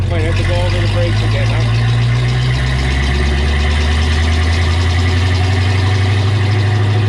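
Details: 1932 Ford five-window coupe with Oldsmobile J2 engine, first test drive since the 1950s: deep steady drone, no knocks or misses; normal running.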